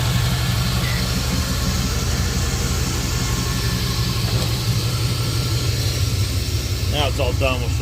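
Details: 1987 Oldsmobile Cutlass Supreme 307 V8 just after replacing and tightening the alternator, power steering and AC compressor V-belts: steady, even idle with a deep low rumble and no belt squeal or chirp; normal idle.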